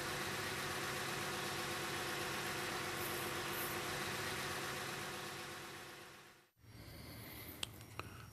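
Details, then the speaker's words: 2009 Ford Flex with misfire and P0355-type coil code, cranked at full throttle (clear-flood, injectors off) for relative compression test: even, steady cranking rhythm, good compression on all cylinders, mechanically sound. "okay so we know we have good compression the mechanical condition of our Ford Flex is in good condition"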